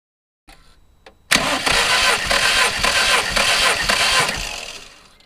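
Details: MG TF VVC with a rebuilt Rover K-series engine, during a compression test: even starter cranking, about two beats a second, with no firing. Readings were about 158, 166, 153 and 178 psi; consistent compression, with one cylinder slightly outside the ideal range.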